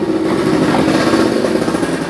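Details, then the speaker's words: Older carbureted Honda Supra X125 with top end opened: loud busy idle with constant tinny chatter; noise blamed on the cam chain or cam chain tensioner stud, and it persisted after tensioner adjustment, cam chain rattle. "Jadi ini ya, salah satu penyebab berisik ya, seperti yang saya bilang tadi itu bisa rantai kamrat, bisa stud kamrat ya."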